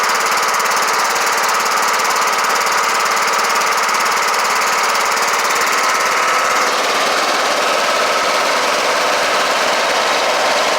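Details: Kohler Courage 18 hp on Troy-Bilt Bronco riding mower after valve cover resealed with cork gasket plus sealant; steady high speed, fast even beat, no misses or knocks, healthy; smoking stopped, engine mounting bolt still loose.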